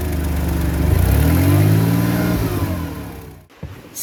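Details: Mercedes ML320 after the catalytic converter was tightened down with wire: engine revs up smoothly and settles back with a clean exhaust note and no metallic rattle on the rise or fall.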